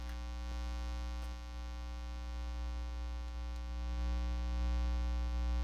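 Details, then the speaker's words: Live-stream audio with a steady, unchanging low hum and a buzzy edge. It is mains hum; the host suspects a ground loop or cable shielding, and it briefly improved before it came back. "something is yeah something is super unhappy about how i've got things plugged in sorry about that i've got some kind of ground loop maybe"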